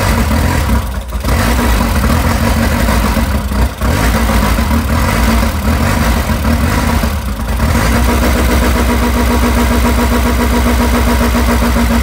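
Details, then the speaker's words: Old nitrous VW Jetta running again after a long layoff and a fuel line problem, smoking: a low idle rumble with a few brief dips early on that then settles to an even beat. A fuel leak at the fuel filter remains. "okay we got her running y'all she back running now now to fix the little stuff"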